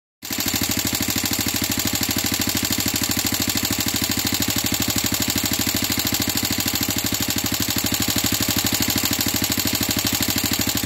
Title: XL350 Noisy Head